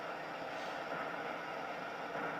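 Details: Liquid-fuel camping stove, preheated with meths (methylated spirits): steady, even hissing roar with no pulsing, sputtering or flare-ups; burner running normally.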